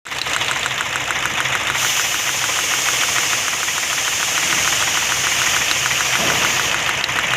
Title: how to check misfire